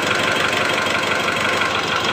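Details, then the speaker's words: 2008 Mitsubishi Strada Triton GLS diesel at idle with injector one refitted: a hard tak-tak knock on a rough idle that gets louder with injector one in and is absent when cylinders 2-4 are tested; likely piston slap, cylinder one. "jadi teman-teman apabila Pati pasang injektor nomor satu teman-teman suaranya tambah keras ya Jadi untuk Puppy coba untuk nomor 2 3 dan 4 ini suaranya tidak ada ia Jadi kemungkinan besar ini terletak pada penyakit di piston nomor satu seperti itu ya"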